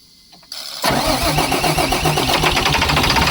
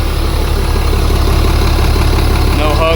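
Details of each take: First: About 2004 International 4400 with a DT466 diesel, 421,000 miles, sat over winter. After the fuel bowl was flushed and refilled, the restart is a short crank then a harsh, ragged, knocking start settling into a clattering idle; owner thinks it needs more and better fuel. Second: Likely 2004 International 4400 DT466 diesel truck that sat unused, idling after fuel additive: steady diesel clatter at an even beat about 2.5 per second, earlier slight miss now gone, no chugs or putters; normal smooth idle, though heavy blowby remains.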